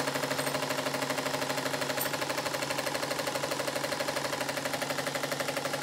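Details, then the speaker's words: Model steam engine on boiler steam, second steam test after modifications (six 4BA bolts holding steam chest, exhaust steam fitting soft-soldered into cylinder): fast, sharp exhaust chatter about three beats a second, uneven and rattly, still like a machine gun but much improved; rough exhaust beat. "engine still sounds like a machine gun but it's gone a long way from when this piston was fitted in it"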